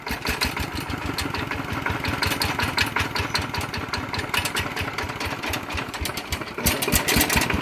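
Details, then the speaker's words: Walk-behind farm tractor diesel (ET80 upgraded to 90, all bearings replaced, on Cosmo frame) after rebuild: quick, even single-cylinder thumping at steady idle, no misses or knocks; runs quiet and smooth, normal idle. "ก็ตัวนี้นะครับนับเป็นนาที90นะครับก็ฟังเสียงก็โอเคเงียบแป๊บนิ่มมีครับ"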